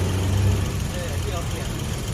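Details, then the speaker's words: Nissan Almera petrol engine idling after replacing ignition coil and EGR motor (codes P0400, P0302; previously shaking): short stretch of low, even idle hum, no shake or stumble; normal idle. "หมู่บ้านเครื่องแล้วนะเครื่องนิ่งแล้วไม่มีฉันแล้วครับหนึ่งคิดเลยนะ"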